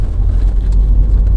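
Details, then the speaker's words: 2007 VW Caddy 1.9 TDI 105hp BLS diesel driving after replacing alternator pulley and auxiliary belt/tensioner that had squealed and lost charging: steady low engine drone with tyre and road rumble, no knocks, whines or rattles; runs fine. "So that's good. So anyway, it seems to run fine."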